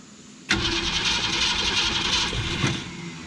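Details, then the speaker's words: Abandoned 1966 Ford Mustang with carburetor run dry and not primed, fuel pump still filling it. The starter churns the engine steadily for about two seconds with no catch or firing. "so she's going to turn over a little bit much because it's not primed so we're we got to prime it first and then it's going to crank"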